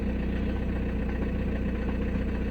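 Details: 2006 VW Passat B6 1.9 TDI diesel, 318,000 km, that would only start in first gear: steady, even diesel clatter and smooth low drone at idle, no misses or stumbles; check light still on; normal idle.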